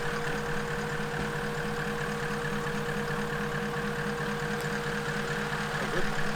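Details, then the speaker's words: Reference sound of a VDJ (Toyota) exhaust played before the FJ49 build's engineering noise test: even steady idle, smooth low rumble with constant whine on top, no knocks or misses; normal, within limits. "Show everybody what's the sound that we're going for. That's the sound of a VDJ."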